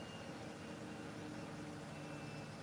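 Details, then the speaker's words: Miele washing machine at top spin: steady, even whooshing hum with no thumping or rocking, hardly any vibration even when rebalancing; smooth, well-balanced spin. "hardly any vibration even when it's reading on balance like the Machine increased a little bit"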